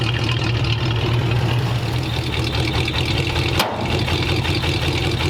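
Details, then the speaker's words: 1929 Ford Roadster Pickup, formerly straight-piped, after a new full exhaust with small mufflers out the back: deep, soft, even rumble swelling slightly on a light rev, no rasp or leaks, mellow and much quieter than before; normal exhaust note. "Yeah. Super quiet compared to before. So I took it for a quick drive, and the truck sounds a lot better."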